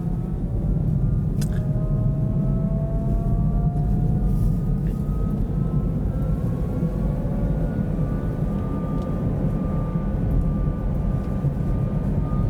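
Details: Kia e-Niro EV driving at about -35°C with the battery at -20/-13°C: thin siren-like whine rising and falling with speed over road rumble; owner attributes it to the drive motor, as the pitch lowers during regen braking.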